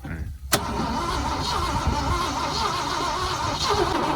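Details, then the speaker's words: 1979 Ford truck with a grenaded, overheated engine: a sharp click, then steady uneven starter churning that never catches or speeds up. It cranks but won't fire; a piston is heard squeaking inside. "Yeah, I don't know about this, guys. She's trying. He's trying."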